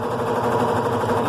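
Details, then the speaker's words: Recovered top-load washer after full maintenance and a replaced gearbox (câmbio) that fixed a noise at the end of spin: steady, even whir winding down with no knocking or grinding; it finishes spinning smoothly. "Olha só, terminou de bater sem barulho nenhum. Tá vendo? Agora ela está do jeito que é para ser, suave."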